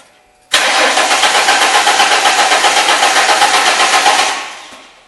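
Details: 2002 Ford Mustang 3.8 L V6, crank no start: steady fast cranking about four beats a second that never fires; spark and injector pulse confirmed present, failed fuel pump not delivering fuel.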